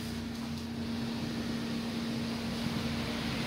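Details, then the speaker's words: Air fryer after repair, running test at 170 °C for 2 minutes: steady even hum with constant mid-pitched tone, no rubbing or rattle; fan motor running smoothly as original. "Em có nghe cái tiếng nghe tiếng ồn của Hoàng đang chạy nó chạy rất là bên em Ừ đúng chuẩn như lúc ban đầu"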